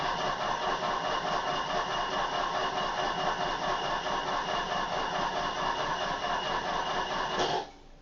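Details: Old Opel not moved for a long time: starter churns steadily at about two beats a second for seven seconds then stops without the engine catching; hard starting needing extended cranking.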